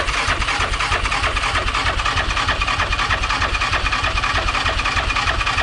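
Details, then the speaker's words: Rebuilt Yamaha Rhino 700 engine (777 stroker, stage 1 cam) cranked in neutral to build oil pressure before the plug goes in. Even, steady cranking at about three beats a second with no clunks; it turns over freely and oil arrives. "I'm not hearing any bad clunks. That's a good sign."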